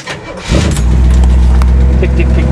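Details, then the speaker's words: Owner-built old engine on cold start: cranks and catches, then a deep idle with light ticking from a hydraulic lifter chattering from low oil pressure at start-up, quieting as pressure builds and nearly gone shortly after. "I'm going to start it up and see if you can hear that lifter chatter and it will quiet down"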